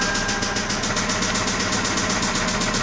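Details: 2006 Toyota Camry 2.4L with 241,000 miles, restarted after hard starting (jumped timing first suspected): sharp, regular knock about seven per second over a rough idle; knocking engine to be replaced, cause unknown.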